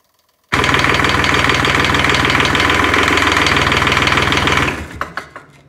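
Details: Kubota D600 diesel swapped into a Case 220 hydraulic-drive mower tractor (16.5 hp), not a full cold start: fires instantly, steady even clatter at idle, then shuts down cleanly; healthy.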